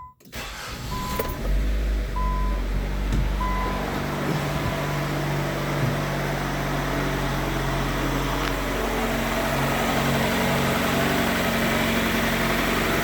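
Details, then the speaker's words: Infiniti G20, 20 years old, after AC compressor bypass to cure pulley whine: steady, even idle with low smooth hum and no whine; normal idle. "oh no more wine nice and quiet it should be good"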